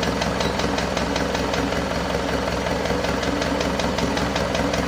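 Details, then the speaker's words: Isuzu Panther 2.5 diesel after overhaul with turbo and intercooler upgrade, first start after about two weeks assembled, warming up: steady idle with light fast tick, two to three per second; suspected valvetrain not yet settled; oil pressure normal. "ada bunyi tek tek tek dikit Lur Ya itu bisa jadi dari botolan masih belum balik dengan sempurna"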